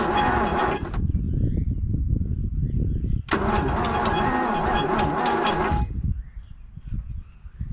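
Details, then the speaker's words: 1963 Plymouth Valiant AP5, 225 slant six, off the road since 1985, paddock revival; fuel line disconnected, fuel added to carburettor bowl; starter labours, engine cranks slowly at about three or four beats a second and never catches; cause unconfirmed. "she's slow it's so slow to wind I might just knock that plug out and just make sure we get a power the way we had it before"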